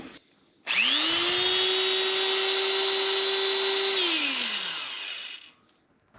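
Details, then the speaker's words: Old electric drill that belonged to the owner's father, free-running after being soaked in oil: the motor whine winds up quickly, holds an even pitch for about three seconds, then coasts down smoothly with no grinding. The owner thinks it sounds better but is unsure. "that actually sounds better [Music] or is it just my imagination I just want it to sound better"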